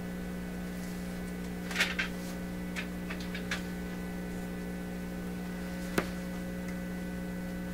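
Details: PYE 39HC shortwave receiver on test with a signal generator: a steady low mains hum in the output with a few faint handling clicks. The hum is suspected to come from connected meters; the source is not confirmed.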